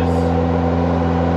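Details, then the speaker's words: AE86 Corolla drift car with swapped engine and transmission, street test after fresh gear oil; steady cruise drone, slightly raspy exhaust, no rear-axle whine, diff much quieter than before; normal differential and exhaust while driving. "we're street testing the car now um the diff is definitely way quieter than it was"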